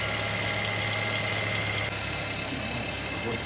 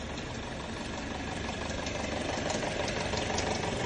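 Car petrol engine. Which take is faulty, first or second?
second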